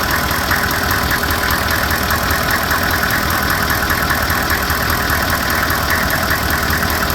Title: knocking noise.